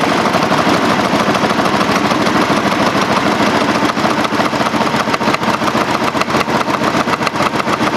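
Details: Craftsman GT5000 lawn tractor twin, run without cooling fan and housing: harsh, uneven, rattly idle with loping irregular beat and firing dips, shaking; owner notes it's not hitting the coils when cranked, cause unclear.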